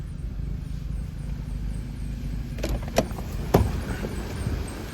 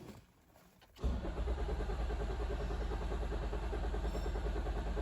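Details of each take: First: Toyota Auris diesel after petrol-contaminated fuel was drained and refilled with diesel: low, steady rumble with even beat and a few light clicks; running smoothly, normal idle; fuel filter replacement recommended. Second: Toyota Auris crank-no-start with code P1604, ECM power relay circuit codes: steady even starter cranking, no attempt to fire; fuel rail pressure below the roughly 80 bar needed for injectors to fire.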